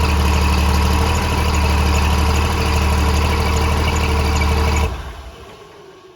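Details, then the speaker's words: 6.7L Cummins swapped into truck replacing 5.9L, first start after oil leak plugged by welding, no turbo kit yet: even, steady diesel clatter at idle with no misses or knocks, then clean shutdown; normal idle. "we got everything running everything runs good and it's good for now until we get the turbo kit put on it"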